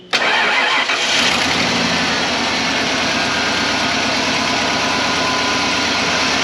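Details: 1995 Ford F-150 V8 running on 7 of 8 cylinders; cranks and catches into an uneven loping idle with recurring stumble; one cylinder dead, being located by test-light check.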